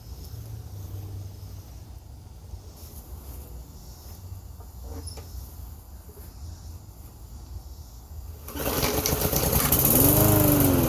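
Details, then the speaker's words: Mower, fueled, primer pushed 3 times: long weak, uneven chuffing before the engine finally picks up and runs louder; hard starting, owner suspects bad fuel. "And my mower's having trouble starting."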